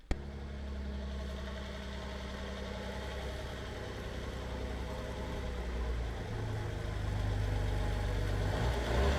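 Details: Diesel car idling with a deep, loud, non-stock rumble that rises a little on the blip. The exhaust clamps were removed, so exhaust gas escapes at those joints. This is an exhaust leak.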